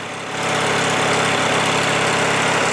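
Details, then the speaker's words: Craftsman LT1000 riding mower with a Briggs 19.5 HP opposed twin, unused over winter, after draining bad gas and water, changing the fuel filter, blowing out the carburetor and spraying some into the carb: a rough catch, then a steady, even low idle. "so that's it engines running now runs pretty well this is low idle right now I mean it's fast but it's not like really fast you know"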